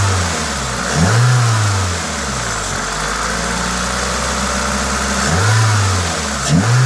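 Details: Toyota 2ZZ-GE petrol four revved normally, rising smoothly twice and settling back to an even idle; the steady hiss comes from an induction kit; sounds healthy.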